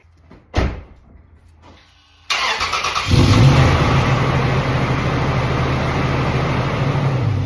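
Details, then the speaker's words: 2WD Toyota 4Runner (2003-2023 generation) after replacing wheel hub bearing assemblies, lug nuts torqued: thump, then engine catches and settles into a steady, even rumble, no hum or growl from hubs. "clap and here's an after video didn't change anything but got the new hubs Tor the lug nuts down now should be rolling quietly down the road"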